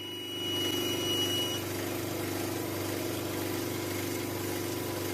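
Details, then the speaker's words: Oxygen concentrator compressor at about 2 liters per minute flow: steady buzzing hum with a fast rattling pulse that never settles, very shaky, gauge jumping violently around 2 bar; excessive vibration, cause not yet found. "Adjust the flow here a bit, like 2 liters per minute. And the compressor is very shaky."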